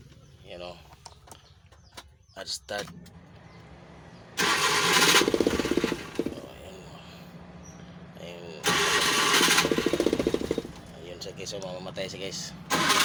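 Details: Multicab with a carbureted engine (tune-up, part 2), hard-start problem: two long bursts of fast, even starter cranking at about four turns a second that never catch cleanly; hard starting, extended cranking.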